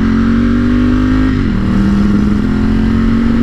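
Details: Ducati motorcycle on the road after an $80 repair attempt that didn't solve it: steady drone that sags instead of climbing when the throttle opens. It bogs on heavy throttle, fine with a light throttle; cause unknown.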